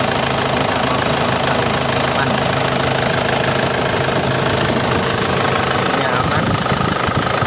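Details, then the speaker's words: 2005 non-turbo LS diesel (Isuzu), manual, single owner, at idle: even, crisp, regular clatter with no misses, heavy knocks or blow-by ("ngobos"); dry underside with no oil seepage; healthy-sounding engine. "Istimewa ya lur ya, nggak ngobos sama sekali, sehat, suaranya renyah, mesinnya masih sehat,"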